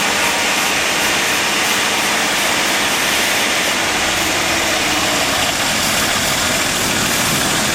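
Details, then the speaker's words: AMC Eagle 258 inline six after TFI ignition upgrade, carbureted, about 1000 rpm after a rough start: steady fast raised idle with constant roar, no dips or misses; idling high, cause unconfirmed. "but there it sounds like I'm running all cylinders see there's a high idle"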